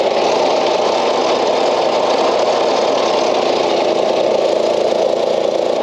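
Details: Old Craftsman LUV (Lawn Utility Vehicle) riding mower, non-runner revived, fuel cap left loose as vent suspected plugged: small single-cylinder engine holds steady, even drone with no misses or knocks; stays running and goes in gear; normal running.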